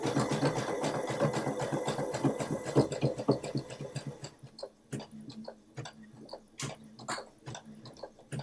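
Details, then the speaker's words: Sewing machine stitching a zigzag through thick layers while making a face mask: rhythmic clunking about two beats a second, then easing off; this sound is normal on thick fabric. "Now, you hear it's a little clunky. This is thick. Don't be afraid if you hear that sound."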